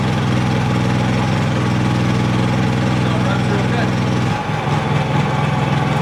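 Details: Dad's Honda 3000 generator, cold-started on choke after a day unused, running a 1500 watt heater: steady, even low thrum with no misses or surging, holding smoothly under load; healthy.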